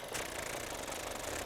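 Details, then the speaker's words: Petrol engine at idle, microphone moved close: fast, light, even ticking from the fuel injectors, which is normal; a separate slower, louder tap on this car is not normal, though hydraulic lifters reportedly work fine. "They're the injectors. That's normal, you're going to hear that."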